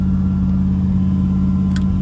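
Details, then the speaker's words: 1970 Ford Thunderbird, cold start after two pumps: steady fast high-pitched idle with no dip or settling, idle speed likely set too high; cause not confirmed. "Oh yeah. Right into the high idle, which is probably too high."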